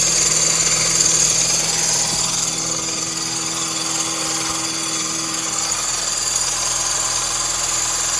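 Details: Mini Cooper petrol engine idling with a harsh, buzzy rattle from the accessory drive and the belt seen hanging loose; alternator or water pump suspected, not confirmed.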